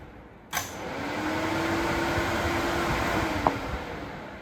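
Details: Welding truck after adding a relay with diode to the AC and fan control circuit tied to pressure switch: a click, then steady fan tone spins up and holds evenly; AC and cooling fans running normally.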